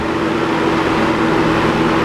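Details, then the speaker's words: Homemade box fan assembled from Holmes fan parts, blade close to touching grille, running on high: steady rushing air with faint constant hum, no rubbing, ticking or wobble; runs smoothly. "but it actually runs pretty well so anyway let's turn it on that's high it actually moves a pretty decent amount of air"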